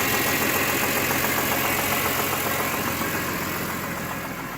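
Idling inline-six with a quick, fairly regular knock riding over the engine note, roughly three or four per second; possible rod knock.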